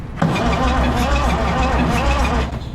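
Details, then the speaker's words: Oliver Super 88 tractor that sat 20 years: steady, even cranking pulses with no firing and a free spin. Low compression because valves are not closing all the way. "yeah and it's just these they're not closing all the way yeah that's what the problem is"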